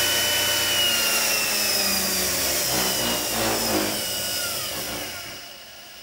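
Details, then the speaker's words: Axminster Precision Pro pen lathe, 375 W motor (believed brushed), running at full speed 3,600 rpm: smooth, even high-pitched hum with a steady whirr, no knocks or grinding; lathe running healthy at top speed. "I think it is a brushed motor, but it's very smooth, and if I just turn it on now, that's it at full speed now, 3,600 RPM."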